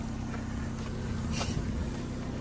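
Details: Vauxhall Zafira after front exhaust section replacement, idling in neutral: steady, even low rumble with no puffing or ticking from the pipes; exhaust now sealed and healthy.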